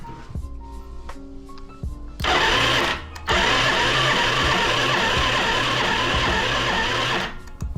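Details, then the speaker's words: Yamaha Riva 125 scooter on a jump pack, possibly weak battery, starter solenoid terminals bridged: steady fast whirring of the starter turning the engine about five seconds without firing; cranks, no start, spark unknown. "Alright, that is working. Motor turned over. Have no idea if it has spark or not."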